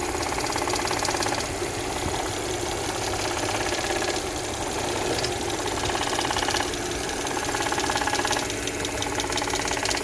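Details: 2011 Audi S4 petrol engine at idle, days after PCV replacement, oil change and coolant refill: light intermittent ticking of unknown source. Compression about 180 per cylinder, no check engine light, power smooth; others suggest intake flaps.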